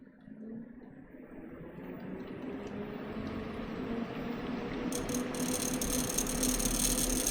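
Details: Custom watercooled PC (MSI Z390, i9 9900k, 2x RTX 2080 Ti Sea Hawk, EK RGB fans): buzzy rattle about four times a second, louder as a fan spins up; cause suspected, not confirmed.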